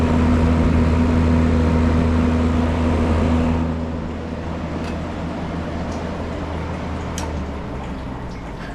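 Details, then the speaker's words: Ice Air PTAC unit tripping breaker, compressor energized via jumper: heavy steady mains hum and deep buzz for three seconds, 38 amps drawn, then sags; seized compressor at locked-rotor current. "Right there. 38 amps. Come on. Oh, whoa. There we go. Lock rotor, baby."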